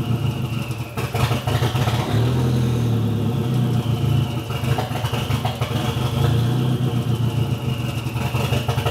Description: Starting my CA18DET with the engine halfway warm (was last driven almost 2 hours ago) and observing how it misfires and wants to die.